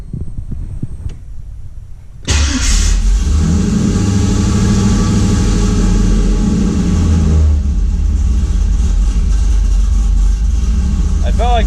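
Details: 5.3 LS-swapped 1991 Z28 Camaro, TSP cam, Holley Sniper EFI, open exhaust, warm: engine catches and flares to a high lumpy idle, dropping back after about five seconds; warm-start flare while IAC hold/decay times are reduced.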